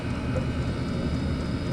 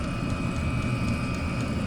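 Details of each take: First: Chinese diesel heater in garage, after fitting an ultra quiet fuel pump, running stabilised on diesel: steady low roar of the fan and burner with no fuel pump ticking; heater running quietly and normally. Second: Chinese diesel heater in garage with original fuel pump, before fitting an ultra quiet pump: steady fan roar with light regular tick about four times a second behind it; the fuel pump at the back ticking annoyingly.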